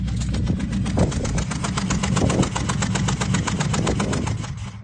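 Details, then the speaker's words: 2001 Mustang Bullitt, 2-valve 4.6L V8, on startup after sitting a few months: sharp puffing ticks about four per second over a lumpy idle, steady with engine speed; suspected blown-out spark plug, not confirmed. "so the main thing that sticks out is the puffing sound and so basically I said sounds like it may have blown out a spark plug"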